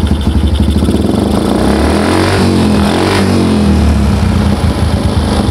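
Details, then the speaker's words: Yamaha Jupiter MX carbureted, previously misfiring, with the manifold vacuum port blocked off: engine revs up and settles cleanly, lighter and even with no stumble or popping; smooth free revving. "yang beneran namun ya kedengaran motornya lebih enak lebih enteng yuk gasnya"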